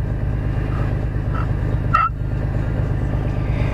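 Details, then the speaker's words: Engine idling after a water pump replacement (the old pump had 40,000 miles and was clearly bad). A failing accessory bearing gives a turkey-call warbling chirp over the rumble, worse after sitting overnight. "got at least one bad bearing so that noise turkey call"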